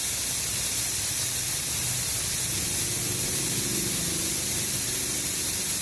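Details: Shark 1 HP twin-cylinder belt-driven air compressor (550 rpm, 83 L tank, 7 bar): it won't start while the tank holds pressure, so air is bled down; loud, even hiss with no motor sound behind it; normal pressure release.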